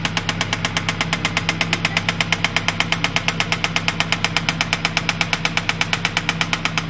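Sharp, regular knock at about 167 per minute rides over a steady idle, plainly louder than the engine's own running noise.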